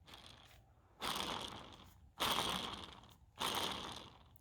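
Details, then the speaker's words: 2003 Nissan Frontier front driveshaft center support (carrier) bearing, removed and turned by hand near the microphone: three rough gritty grinding passes fading out; the old bearing is worn and rough, being replaced with a new HB-6 bearing. "we're gonna use this to replace to replace our bad bearing and here is our old bearing and I will try to get this close enough for you to hear it"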